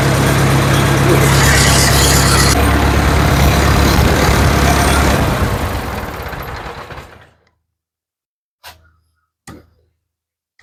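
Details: Ford 7000 diesel tractor in a shop after timing was corrected, the cause of its earlier no-start; even, steady clatter at a fast regular beat for several seconds, then it winds down and stops; normal diesel running.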